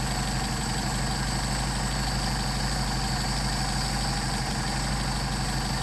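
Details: Mercedes 190SL with Solex 44PHH carburetors at about 600 rpm (factory about 750) during idle mixture screw adjustment: even steady idle at the midpoint where it runs best, no stumbling or hunting; normal idle.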